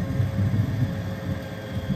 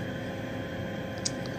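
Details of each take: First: 90% furnace on a no-heat call, with the inducer draft motor struggling and the pressure switch not closing (error 312): a low, uneven rumble with a wet, bubbling wobble under the inducer. Water is pooling in the heat exchanger from poor flue pitch and drainage. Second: 90% furnace inducer draft fan after water drained from poorly pitched flue pipe; steady even hum, bubbly gurgle gone. Pipe had filled with water, suspected cause of pressure switch not closing; permanent fix is re-running flue for proper pitch.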